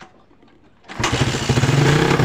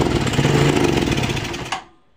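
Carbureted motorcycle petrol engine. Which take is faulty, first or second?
second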